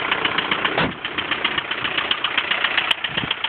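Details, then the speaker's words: 1999 VW Golf TDI diesel at idle: light, fairly regular ticking of about two and a half per second over the diesel clatter. It is a noisy tappet, present from first start even after standing for months. "demonstrate the noise that it makes with the uh gear of course the slightly noisy topic that it has that's absolutely first time no matter even if it's been stood for two months three months doesn't make a difference like the sound of the uh noisy topic"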